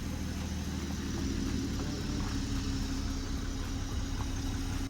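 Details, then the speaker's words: MKV Supra 6-cylinder after crank-no-start troubleshooting: a quiet, low, steady idle with no stumbles, misses or knocks, much smoother than before. Normal idle. "Wow, it's quiet. It's running so smooth now. A lot better than it did."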